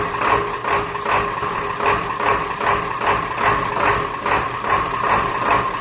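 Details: Diesel Rhino with a slow, hard cold start in chilly weather, fixed with new glow plugs: cold start after one glow plug cycle gives regular, even idle clatter at about 2.5 pulses a second with no stumbling; healthy cold idle.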